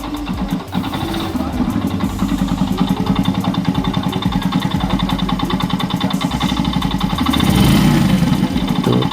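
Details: Sz-R/FZ-S bike engine starts and idles with a quick, even metallic rattle at engine speed, from a loose flywheel magnet; fix is tightening it.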